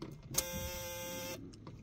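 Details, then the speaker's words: Fiat Strada turn signal relay, under the cover, buzzing: a harsh electric buzz lasting about a second, the relay chattering instead of clicking; fixed by replacing the relay. "Ele não sabia o que que era então se você tem uma fita Estrada um ono um páo quando você escutar esse barulho ele é o é de seta tá bom"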